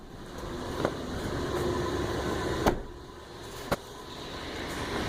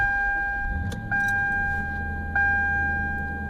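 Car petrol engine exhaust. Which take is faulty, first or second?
second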